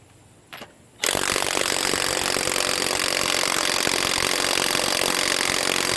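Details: HANS 1/2-inch cordless impact wrench from eBay on a nut, battery said to be full: a click, then a harsh buzzing hammer that never builds; sounds weak and struggling, possibly defective.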